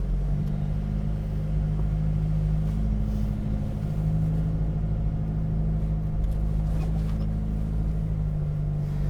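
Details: 1974 Audi Coupé S on unleaded fuel, freshly rebuilt engine and gearbox, warming up while pulling away gently: low, smooth, even rumble with no misses or knocks; sounds healthy.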